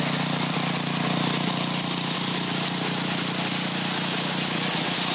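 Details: Craftsman 27-inch snowblower's Briggs & Stratton 8hp OHV single, previously dead with water in milky oil, idling on used flush oil: steady even putter about three beats a second, no knocks or misses; runs healthy.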